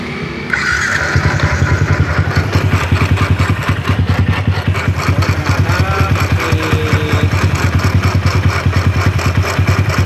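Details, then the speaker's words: Yamaha Jupiter MX single-cylinder motorcycle idling with a rough growling "ngorok" rattle on each beat, about three a second; with cam timing loosened, the camshaft (noken as) bearing proves to have a lot of play: worn, loose camshaft bearing. "eh ternyata lanjutnya ini oblak skornya cukup cukup banyak"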